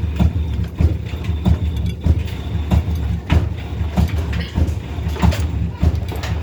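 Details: Indesit IDV75 tumble dryer drum turned by hand: deep rumble with rough throb just under once a second from broken drum bearings.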